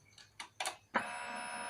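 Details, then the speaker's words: Honda Vario 125 FI, key on with MIL lit then off: a few faint clicks, then a steady high electric hum as the fuel pump primes normally. "Iya, pompanya hidup. Dengarkan pompanya."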